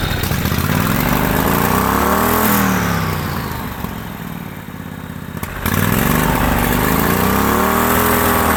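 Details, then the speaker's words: Turbocharged lawnmower engine (small single-cylinder) revving up and down, lumpy and sagging between revs; owner suspects overfueling as closing the choke ran better, may need a smaller jet; unconfirmed. "But I don't know yet because it sounds like it's overfueling because if I close that, it ran better."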